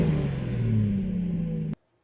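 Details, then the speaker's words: 2015 Mazda CX-9 with the rear Y-pipe exhaust section removed, which had developed holes: a loud, deep, raw unmuffled engine drone at steady idle while running without the rear exhaust section and mufflers. "to feed my own curiosity I decided to do a little sound clip of what the vehicle sounds like with no [Music]"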